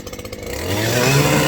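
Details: Stihl trimmer/hedger after cleaning: small two-stroke climbs from popping idle to clean high steady scream, revving freely; normal free revving after fix.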